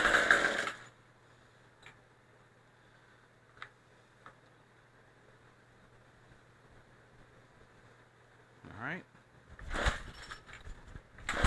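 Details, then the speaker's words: Craftsman Speed Start trimmer power head, after carburetor and fuel line replacement, choke on, primer bulb pumped, throttle cable off: a long quiet stretch, then a few sharp pull-cord rips with no firing. Won't start; owner suspects flooding. "right no that's not good well we do know it runs I think I may have flooded it"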